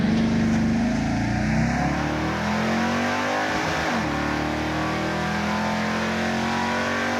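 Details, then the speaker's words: General Mayhem Dodge Charger on a drag run of 12.38 s at 111 mph: hard launch, engine note rising then breaking up and stuttering at peak revs in first gear, like a rev limiter; hydraulic roller lifters floating. "I don't even know what you did because I heard it bounce off the rev limiter in first, and I'm like, well, this won't go better. It's way better. That's not rev limiter, that's hydraulic roller lifters floating."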